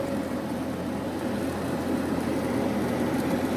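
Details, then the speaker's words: Carrier Infinity 58MVC080 furnace, previously flooded, with its failed inducer motor replaced, started on a heat call: an even, steady whir as the inducer comes up to speed and holds it, with no rattle or scrape, so the draft inducer is healthy. "So the inducer motor started, as I seen before, which was the inducer motor failed before, and you will hear another click from the pressure switches on or closing the circuit."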